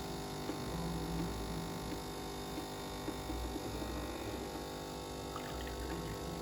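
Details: Nivona/Melitta espresso machine rinse cycle after valve work: low, steady hum, now free of the earlier whistle or squeal.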